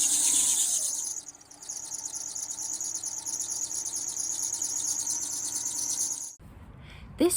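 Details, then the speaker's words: Running engine being revved: fast high-pitched chirping about three times a second; loose accessory belts, two belts too loose, tested by turning steering (power steering belt) and switching AC on and off. "or squealing noise was actually caused by two different accessory belts being too loose"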